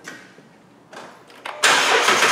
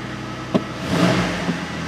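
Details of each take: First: 2009 Jeep Wrangler 3.8L with P0204, after new plugs and wires: cranks and catches, then lumpy uneven idle with repeating skip; injector number four circuit found open, causing the misfire. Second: 2009 Jeep Wrangler 3.8 L V6 with an injector circuit code and a history of misfires: quick throttle blips and power braking in drive, revs climb and fall cleanly with no dropouts, so it is not misfiring right now.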